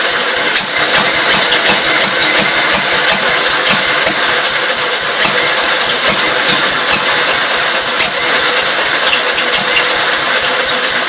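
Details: 1952 Gravely L single-cylinder on the carburetor and throttle setup from a 53 L after suspected fuel delivery problems, set to idle: steady running with light, even ticking, no misses or stalls; running properly now.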